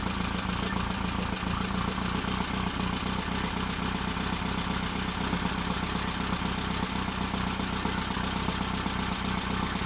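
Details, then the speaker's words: Engine on third start-up attempt for cam break-in: idle a bit low, no tachometer; steady even idle, smooth unchanging beat, no knocks or misses; oil pressure held; leaky oil cooler; running cleanly. "well seems to be running good oil pressure remained well"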